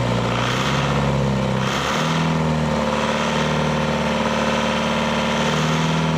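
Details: Leyland 154 tractor diesel after restoration, first start on new glow plugs and starter, running about 1,200 rpm with good oil pressure; steady even idle, no knocks or misses, though diesel pump still leaks and broken dipstick tube spits oil: normal diesel idle.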